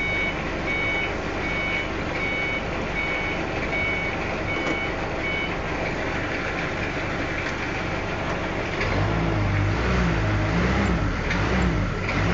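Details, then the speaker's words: Diesel forklift with a recently repaired transmission, after topping up the low radiator: steady diesel idle under a reverse alarm beeping about three times a second, yet the truck doesn't move; reverse still not engaging. "hal itu masih belum bisa dibalik."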